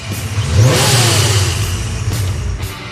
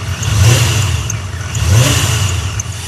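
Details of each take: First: Engine after the accessory belt was removed and the idler and pulley bearings lubricated to cure a chirping noise: a quick rev swells and falls smoothly with no chirp or squeal; the belt noise is gone. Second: Engine revving after the power steering fluid was topped off and bled: sharp, high chirps about every 1.5 seconds. The belt has a lot of play; a bearing or the idler pulley is suspected.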